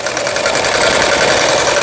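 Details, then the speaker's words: Sister MS350 household sewing machine (Brother-imported, about 30 years old), after full repair of broken motor and bracket that caused loud noise and no stitching: fast, even whirring stitch rhythm, steady speed, clean stop, no knocks or binding; normal running. "각종 기능들 정상적으로 작동되고 있네요. 이분께서는 박음질이라도 제대로 됐으면 좋겠다고 말씀하셨는데 부드럽게 박음질 잘 되고 스타트 잘 되고 있습니다."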